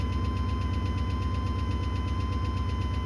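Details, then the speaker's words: 1980 Chevy C30 rollback with swapped 8.1 L engine from an 03 Silverado 3500, low battery, idling: sharp regular tick about twice a second; owner suspects a bad lifter tap not heard days before. "for some reason it's got a really bad lifter tap. And I certainly didn't hear that the other day."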